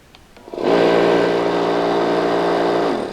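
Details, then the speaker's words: Hitachi EC79 air compressor before rebuild; the motor spins up and holds a steady hum with no cut-off, and an air leak is audible. It will not shut off, with a faulty pressure switch suspected. "now i can push and hold this it has a leak too i think i can hear it but as soon as i let go it fires back up and will not turn off"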